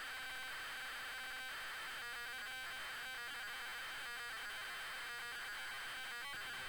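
Faint warbling screech with uneven chirping bursts instead of a clean steady loading tone, so this tape is failing to load.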